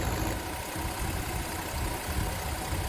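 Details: 2009 Infiniti FX50 at low idle: uneven, lumpy beat with occasional stumbles under a steady hum; P0301 cylinder 1 misfire, and most misfires in these are from bad coil packs.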